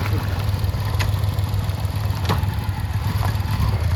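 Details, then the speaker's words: 2011 Yamaha FZ-16 idling after sitting about 7 months with a dead battery, push-started on the second push; steady low single-cylinder rumble with an uneven beat, surging and jumping, so the owner suspects some problem. "വണ്ടി സ്റ്റാർട്ടാക്കിയിട്ടുണ്ട്. നമ്മുടെ വണ്ടി എന്നാലും സ്റ്റാർട്ടായി. ഞാൻ സ്റ്റാർട്ടാവില്ലെന്നാണ് ഓർത്തത്, പക്ഷേ വണ്ടി സ്റ്റാർട്ടായിട്ടുണ്ട്."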